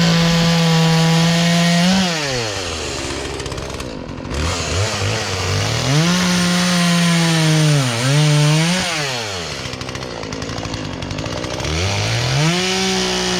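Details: Poulan Pro chainsaw that sat unused in a barn for three years and never ran right, after low and high carburetor adjustment with a tool kit: crisp high rev that drops under load in the wood and recovers cleanly each cut, no stalling or bogging; normal cutting.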